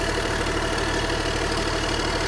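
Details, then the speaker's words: Excavator left sitting, diesel with glow plugs, started with throttle and hydraulics not working: even, steady diesel clatter at low idle with no misses or knocks; engine itself healthy. "but man the engine sounds good dude"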